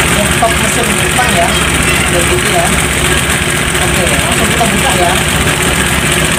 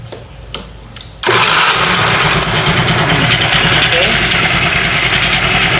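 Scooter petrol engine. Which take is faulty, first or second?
first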